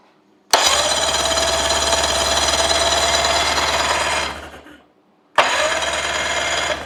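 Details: 1985 Johnson 20hp outboard, electric starter reinstalled after being freed from locked-up state, tested on battery: two clean bursts of steady high-pitched whirring, no grinding or dragging; starter spins freely and healthy.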